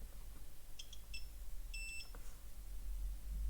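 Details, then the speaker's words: Multimeter continuity beeps on an overheated, burned trace of a Renault Scenic II electric parking brake module PCB: two short high steady bursts confirming the trace is intact; relay to be replaced. "This trace got very hot. But it's a continuous path."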